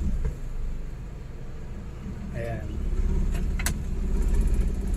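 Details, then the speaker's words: Suzuki DA64W non-turbo minivan with 3-speed automatic, hard starting for weeks, with the aircon on. In reverse and drive the idle drops to about 700–800 rpm, with a low, uneven rumble and heavy shaking; the cause is not confirmed. "So sobrang nanginginig yung makina."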